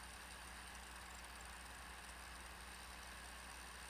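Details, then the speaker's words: Micron XKE laptop, 23 years old, booting after its noisy old hard drive was replaced with a compact flash drive: steady, even whir of the CD-ROM spinning up with a low hum, no clicks or grinding; normal boot noise. "the hard drive used to make a ton of noise on here and the drive was older but you can hear that cd-rom spinning up and let's see if we get this thing to boot"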